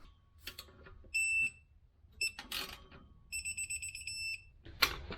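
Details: Torque wrench on 2011 Mercedes E550 W212 V8 exhaust reinstall: two bright steady beeps then short pulsed beeps as set torque is reached.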